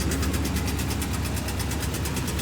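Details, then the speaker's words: Rapid, even light knocking, about nine beats a second, over a steady idle on a Chevrolet Caprice Landau; owner suspects the flex plate, starter or torque converter area, not confirmed. "Like I said, that noise is something between the flex plate, starter, and the torque converter."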